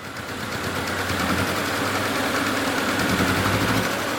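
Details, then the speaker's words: 2003 VW Passat 1.8T petrol engine idling, still vibrating heavily with an irregular stumbling misfire after camshaft position sensor replacement; misfire later traced to two faulty ignition coils found by swapping coils and unplugging them while running. "Pues yo lo sigo viendo como que vibra mucho."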